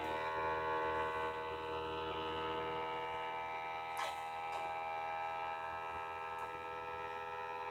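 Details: LG UP970 Blu-ray player loading a UHD Blu-ray disc, which it once played fine: loud steady buzz with stacked fixed tones as the disc spins up; cause not evident, unfixed after one repair return.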